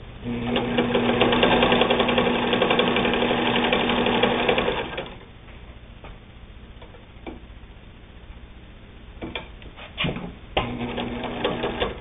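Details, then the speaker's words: Singer 99 three-quarter-size all-steel-drive sewing machine: fast, even clatter at about four stitches per second with a steady hum, then slows and stops; runs smoothly and healthy. "it's all steel drive a strong machine strong enough to sew just about anything you want to sew on it"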